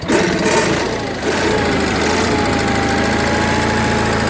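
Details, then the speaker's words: Onan 4KV generator after maintenance and repair. It starts quickly and holds a smooth, steady idle with an even hum and no tapping or stumbling; a healthy running engine. "as you can see or here that's smooth good running engine right there"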